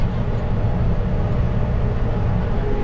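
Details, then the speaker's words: Tractor sowing oats under load on a hot day: deep even diesel drone with the cooling fan audibly humming; the driver held back speed to avoid overheating the engine. Normal running under load. "słychać jak tutaj wentylator buczy dlatego też nie chciałem gonić zir"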